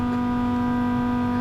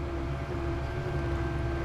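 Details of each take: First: Land Rover Discovery Td5 diesel with the key on and the engine not running, during a diesel leak hunt near the fuel filter: a steady, loud electric whine at one pitch, the fuel pump priming. Noisy fuel pump whine. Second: Land Rover Discovery Td5 diesel, key on after sealing a fuel leak with PTFE and cleaned copper washers: faint, steady hum of the fuel pump priming evenly as pressure builds; no leaks now.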